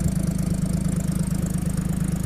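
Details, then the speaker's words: 1950 Chevy truck stovebolt six after tune-up with new gaskets, plugs and valve adjustment, heard at the exhaust: steady, even low idle, smooth rhythmic pulse, no ticking or puffing, no real smoke; sounds better, healthy. "Even sounds better out here. No real smoke to speak of."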